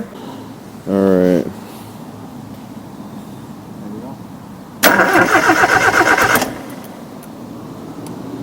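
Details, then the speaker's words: Nissan CA18DET swap: a brief crank and rising burst, then about two seconds of rough running that dies away. The engine cranks and catches but won't keep running. The owner wonders if something wasn't tightened; cause unconfirmed, oil leak also noticed. "Now that it's in, it seems to not want to run."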